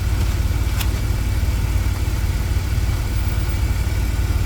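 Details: 2000 Chevy Astro, crank-no-start and stalling complaint, scan tool showing crankshaft position sensor code, idling: smooth, steady low rumble with an even beat, no knocks or misses; clean normal idle.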